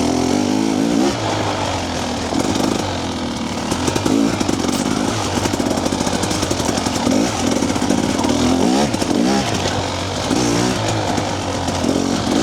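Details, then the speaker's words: TBI two-stroke dirt bike after ECU remap with TSP ERM tuner, first gear: pulls cleanly through repeated throttle rolls with no low-rpm stutter or bog. Normal running, crisp fueling. "right tsp tune on first gear way cleaner"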